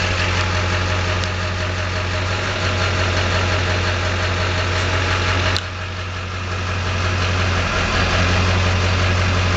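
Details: LB7 diesel at steady idle with a clattery, slightly uneven beat near three per second; owner suspects worn injectors, worst balance rate 3.2, idle rail pressure about 5500; rough idle, unconfirmed.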